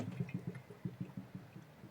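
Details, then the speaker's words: Supercharged Honda NSX build, bleeding the cooling system with a pump on the line: irregular gurgling and bubbling bursts as hoses are squeezed, as air travels back from the front and coolant replaces it. "you can hear that air bubbles traveling to the front from the front of the car coming back up squeeze a few more times you might be able to hear it again it's basically coant replacing the air that's in the system"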